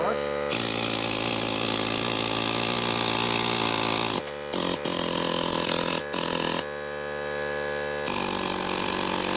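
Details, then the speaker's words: Air hammer on an air compressor, used to scrap copper transformers: steady buzzing with abrupt stops and restarts but no hammer blows; owner guesses it is attached wrong. "I'm guessing maybe I have this attached wrong but uh she sure ain't bouncing or hammering"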